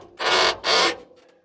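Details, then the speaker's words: 1955 Packard Clipper Deluxe rear door, stuck with a rack-and-pinion latch, freed after probably 30 years unopened: two long dry hinge creaks, each about a third of a second, as it swings. "Ooh, that is the creak of a door that has not been opened in probably 30 years."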